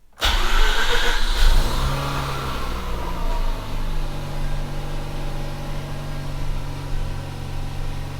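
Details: Mazda RX8 after oxygen sensor replacement, ice cold after sitting a couple of days: catches instantly, flares briefly, then drops to a smooth steady buzzing idle; healthy cold start, no check engine light or codes.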